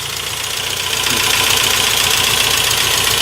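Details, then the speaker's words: 1992 Saab 900 Turbo, long-sitting, first start, no oil pressure gauge: light, quick metallic clatter about four times a second over a rising idle; top-end clatter, cause not yet pinned down. "let's go see what we got out there all right a little bit of clatter and keep an eye on"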